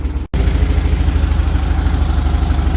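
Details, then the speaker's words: 1978 VW Super Beetle air-cooled engine, Bosch L-Jet injection, after warm-up: even low putter of about three pulses a second, no misses; idling fine so no adjustments made. "All right, it's warmed up. It's idling. Okay, I'm not actually going to make any adjustments."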